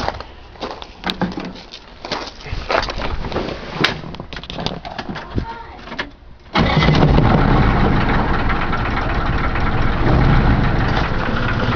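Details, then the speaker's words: Chevrolet Caravan 4-cylinder, owner calls it "Cargo 76", at first start: cranks, catches, then idles with a steady tapping knock about four times a second; source unknown, owner asks for help. "Fala galera, fazer um vídeo aqui mostrando um barulho estranho que tá no motor da minha Cargo 76."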